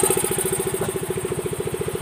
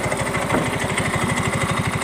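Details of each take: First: Yamaha Mio M3 125 scooter idling after the worn fan pulley (kuli kipas) was replaced; right side heard, earlier rough kletek-kletek noise from the front now gone. Quick even putter, no knock or rattle: smooth, healthy idle. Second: Yamaha Mio M3 125 scooter with a rough noise complaint blamed on missing CVT grease: tek-tek metallic clatter over the engine beat during light throttle blips, heard at the CVT case and fan; worn CVT pulley splines indicated.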